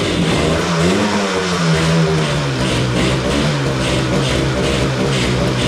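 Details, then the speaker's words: 1985 Yamaha RZ350 two-stroke, sat about 10 years, premix fuel, on choke at first start: uneven lumpy note wavering around fast idle, right cylinder weaker; owner suspects fouled original plugs. Rough running, misfiring cylinder. "really seems like it's running on one cylinder um the right cylinder seems to be maybe a little bit weaker"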